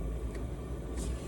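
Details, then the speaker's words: Diesel air heater (Amazon) installed in a 2016 Jeep JKU, after almost a year in use, warmed up and cabin at 20°C: low, steady, even rumble, fan and fuel pump working, air in and out, no knocks or surging; normal running. "you can see you got the little thing you're seeing the fans running pumps working it's pumping uh it's got air going in and air going out tells you everything's moving good"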